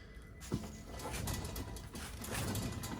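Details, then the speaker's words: 2012 Nissan Altima, believed 2.5 4-cylinder: rough gritty grinding rumble as the bare front hub is spun by hand, with a loose, wobbly feel; bad wheel bearing, later replaced. "When you spin it, hear that noise? That's another sign of a bad wheel bearing."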